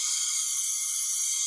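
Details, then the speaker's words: Briggs & Stratton small engine leak-down test, listening at the open oil filler/dipstick tube: steady high hiss of air escaping into the crankcase past the piston rings. "i can definitely feel the air escaping so now that i've rotated the engine a little bit i'm down to around 30 to 35 leakage feels like most of that's coming past the piston rings"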